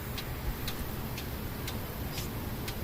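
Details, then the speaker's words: 2015 Kia Sorento 2.4 with code P0011 (cam timing over-advanced, bank 1), idling: crisp, even solid ticks about twice a second from the camshaft actuator, now cycling normally, pintle apparently sitting lower and closing properly. "oh look at that look at our pencil now listen to the click it's a solid click now and look at this look at how low i think our pintle's a lot lower now"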